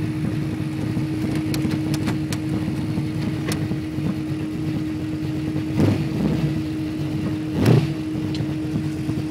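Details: Holden Torana with a 308 V8, B-cast heads and a Crane 280 solid cam. The deep idle has an uneven, loping beat with an occasional stumble. Rough, lumpy idle; cause not confirmed.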